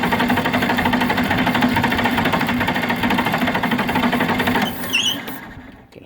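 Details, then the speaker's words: John Deere 4010 cranking with throttle wide open, good fuel pressure confirmed: steady fast cranking about two beats a second with occasional uneven catches, trying to fire but not starting; owner suspects a clogged screen inside the pump. "I got the throttle, you know, cracked wide open. Trying to get this thing to start. I've adjusted it, moved it."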